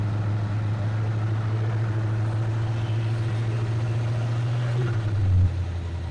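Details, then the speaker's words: Old Ford F-150 truck after retiming and fitting a gear reduction starter; it previously would not restart once warm. It gives a steady, even low rumble with no misses, knocks or hunting: normal idle. "does run like a top there's my Min me I'm always saying but anyway if you guys have any problems with yours that's what I'm going to recommend"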